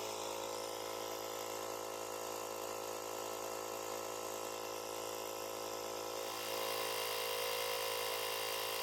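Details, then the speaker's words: Jump-starter booster's built-in compressor inflating a tire from 0 to a set 2.2 bar: a steady, even buzzing hum whose pitch lifts slightly as pressure builds; normal running. "натискаємо ось цю кнопку на он відповідно компресор починає качати"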